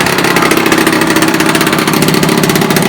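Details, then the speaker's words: 1976 Puch Maxi two-stroke moped under restoration, run in a shed with choke on and baffled exhaust: a bright, buzzy note holding steady with no misses or surging; running cleanly. "give it a choke as you can see it's running quite well now the back wind is baffled"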